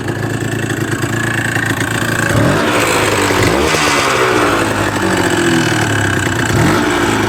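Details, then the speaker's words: Suzuki RG125 two-stroke with fresh top end but lacking power, as delivered, idling: loose irregular rattle under the exhaust note; bottom end noisier than it should be, oil pump setting found misaligned, cause unconfirmed. "He's only just dropped it off, and it's a little bit rattly for my liking. The bottom end's a bit noisier than I would like."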